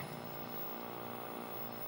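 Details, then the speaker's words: Nintendo Mario Bros arcade cabinet, 20EZ audio amp, just after replacing the amplifier and power transistor: steady low hum with buzzy overtones, unchanged, maybe slightly better; mains hum persists, ground loop suspected, source unconfirmed. "still a little bit of a hum but foreign it does seem a little bit better"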